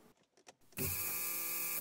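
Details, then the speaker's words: Mercedes W201 190E, heard from the driver's seat at key-on: a steady electric buzz for about a second, then stops; the fuel pump priming to build pressure, showing the fuel pump relay works. "that's the sound of the electric fuel pump running to build pressure to start the engine"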